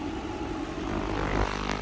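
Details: Lexus LS460 V8 rough, lumpy idle; cylinder 1 misfiring, persists after swapping plug and coil, injectors tested fine; compression test shows low pressure on cylinder 1, internal engine fault suspected, valves or piston.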